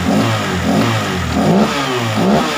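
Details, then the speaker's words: Honda PCX 150 after a valve adjustment, throttle injection not yet cleaned; the complaint was an unstable idle, and revving is said to be roughly back to normal. Quick, clean blips that pick up smoothly with no stumble; throttle response is fine. "Ini untuk suara dan pelayaran ini sebetulnya belum dibersihin ya bagian injectionnya"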